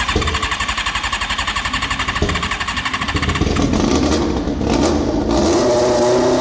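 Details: Alcohol-fuelled Formula 4 race car after a fuel-leak O-ring repair, no dripping: engine pulses evenly at first, then picks up smoothly into a clean rising rev with no misses or knocks; normal idle and revving. Owner thinks it tends to flood.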